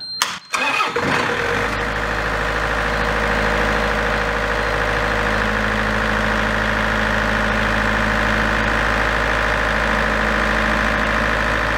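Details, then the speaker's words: Large diesel generator set from auction, started in manual mode: it settles into a steady, even run with no knock, then the controller shows generator under-voltage after a few seconds. Miswired regulator trim connections are named as the cause. "all right so what was it running for a few seconds and now it's going along seeing Jen under voltage so I think that's the error we was uh talking about"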